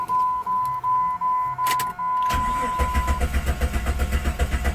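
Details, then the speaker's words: Jeep Grand Cherokee 4.0L six-cylinder with code P0320 and a replaced PCM: door chime, then steady even cranking at about two and a half beats a second that never catches. No fuel or pulse; scan tool shows no crank reference signal at PCM. "Yep, just spins over, no start. As in it's not getting no fuel or pulse or anything."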